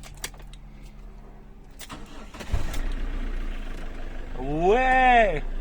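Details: Ulyss after the blown fuse, previously shunted with a clamp, was replaced with a new one: keys rattle, starter turns and engine catches with a quick rise and fall in pitch, starting cleanly.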